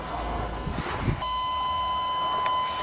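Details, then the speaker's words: 1987 Chevrolet truck with a fresh battery: a steady high buzzer tone sounds in a quiet cab with the key out. The cause is not confirmed; the owner suspects the lights were left on. "let's go for it oh why is it buzzing with the key out maybe the lights are on"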